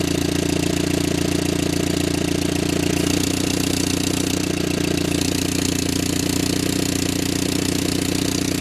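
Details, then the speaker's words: Barn-find Willys Jeep, 4-cylinder, year unknown, now idling after its fuel pump stopped leaking: steady even idle around three and a half beats per second, low chugging exhaust with no misses; runs much better. "Boy, it likes that a lot better, don't it?"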